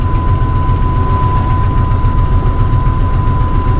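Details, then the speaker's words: Ford V8 truck that sat, started after a final spray of starting fluid with a previously dry fuel pump: steady, even low rumble with no misses, knocks or surging; normal smooth idle. "okay so as soon as I turned the camera off guys it started up after I sprayed it one more time with starting fluid"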